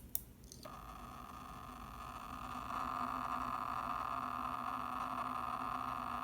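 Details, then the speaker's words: New Seagate Expansion 12TB external drive (Seagate Exos X16 inside, made 08/2020): after a click, steady mid-pitched whirring during reads and writes, very loud in a quick-scan error test, silent when idle; microphone held close. "读写的时候会有声音，但是如果没有读写的时候不会。然后最好玩的是，如果我是 run error check speed test 的时候啊，那个声音超级明显。"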